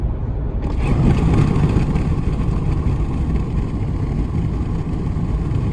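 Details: 2019 Ram 1500 at cruise in 8th gear: heavy, steady low cabin drone, regardless of MDS 4-cylinder mode, persisting after the dealer replaced the sound amplifier.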